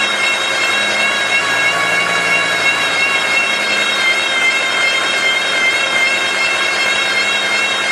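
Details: Volvo V70 driven in third gear: a steady, high, wavering whine like a meowing cat, from a worn wheel bearing.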